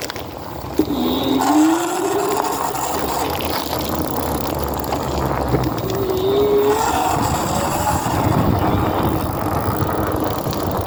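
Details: BeeCool e-bike hub motor whining upward as it spins, with a rough grinding noise underneath from inside the hub motor.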